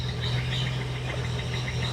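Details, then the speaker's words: 1971 Datsun 240Z six-cylinder after restoration, in neutral, carbs apparently near synced and timing only at a general mid setting: steady, even low hum at idle with no sputtering, backfiring or misses; runs smooth and healthy. "But yes, it does fire up. It idles great. I think the carbs are pretty They must be pretty close to being synced."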